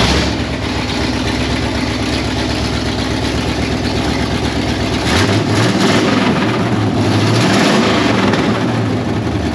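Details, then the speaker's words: 1968 Pontiac Firebird parked 30+ years: steady, even idle with a smooth low rumble, no misfires or knocks; idling healthily. "look got it boys girl she sound pretty good let it run for probably 15 or 20 seconds with the true fuel in it"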